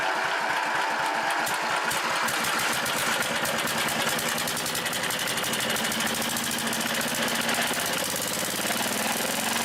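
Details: 1976 McCulloch Mite-E-Lite permanent-magnet generator, electronic ignition, on choke, first start in about 15 months: catches and settles into a fast, even train of firing pulses with no misses, knocks or rattles; normal healthy start and run.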